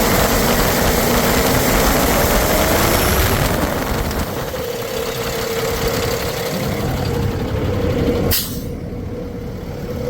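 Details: 2009 Freightliner M2 bucket/chipper truck, Cummins 6.7L turbo diesel, 24,000 documented miles, recently serviced: fires up loud, then settles into a steady even idle, regular beat, no knocks or misses; healthy.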